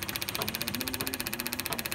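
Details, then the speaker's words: Turbocharged engine with a boost controller problem, at idle: fast, sharp, regular clicking of about fourteen per second; the source is not pinned down and the cause is suspected, not confirmed. "Don't have to worry about anything. It's sealed. And as you can hear, it's clicking away here."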